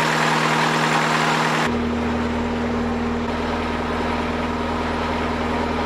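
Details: Fresh-water-cooled boat inboard idling at dock test after raw water pump rebuild, oil pressure 40 psi, temperature reading high, old sending unit possibly inaccurate; steady low drone with slight early speed drop, no knocks or misses; healthy.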